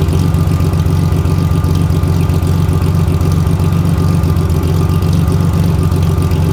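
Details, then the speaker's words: BMW E30 project engine at idle, oil unchanged for a year and black: deep steady idle with a faint regular light clack about four a second; owner suspects a connecting rod, a rocker arm, or just the overdue oil change. "donc le bruit euh ça peut être soit une bielle euh enfin un couiné soit ça peut être un culbur qui a commencé à merder c'est possible aussi soit ça peut être juste une vidange"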